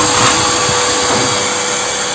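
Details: Homemade waste-oil stove made from a 100 L gas cylinder, with a closed combustion chamber and simple forced air. The oil vapour burns blue. A steady airy blower roar with no pulsing, popping or sputter; the burner is running normally.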